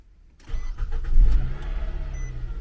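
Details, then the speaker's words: Clean small commuter car at an insurance auction, fuel gauge on empty, started at the lot: cranks briefly, catches cleanly, flares and settles into a steady even idle; normal start. "That's a nice little commuter car. Sounds good. Needs some gas."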